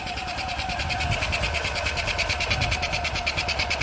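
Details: Isetta microcar engine just refitted and first started after flooding and a backfire: sharp, regular light ticking about eight a second over a soft hum, judged not normal at the carburetor; abnormal ticking at carburetor.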